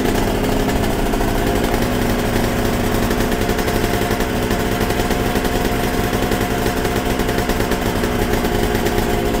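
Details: Yamaha TZR 250 3XV twin two-stroke after idle and air screw carb balancing: steady, even crackle at idle with no misses or surging; engine sounds healthy.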